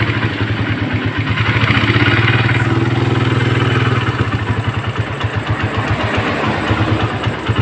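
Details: Suzuki Satria FU150 with a Keihin PE28 carburetor: a brief rev settles into a quick, even idle of about four firings a second, running clean.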